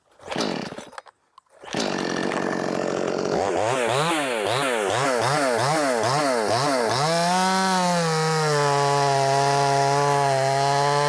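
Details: Brand new, unbroken-in Wemars 6220 clone chainsaw: high two-stroke buzz rising and dipping, then steady clean scream at full revs; normal healthy running.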